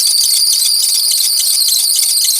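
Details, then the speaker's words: 2006 Ford Explorer 4.0 SOHC V6 with a failed, wobbling harmonic balancer; the belt had come off earlier and the engine overheated; running: shrill squeal pulsing in a fast even rhythm as the bouncing belt slips. "Okay so let's go ahead and start this up sometimes the whealing will subside but I don't think it will this time and"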